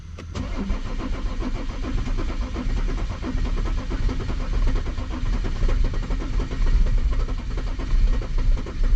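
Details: W210 Mercedes E300 turbo diesel, towed in with a crank-no-start: a long crank, then it catches and runs unevenly, surging and sagging with the throttle held. There are no trouble codes and a raw diesel smell; a fuel pressure fault or glow plugs are suspected, unconfirmed. Hard start and stumbling.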